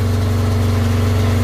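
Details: Yamaha XT600 running on a 20 V DeWalt tool battery wired in as starting battery: steady even low throb, no knocks or misses; runs smoothly.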